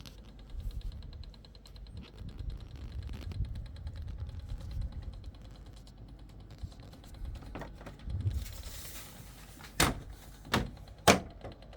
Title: Irritating rattling sound in newly installed 2.5kw Mitsubishi MSZ-AP series split system air con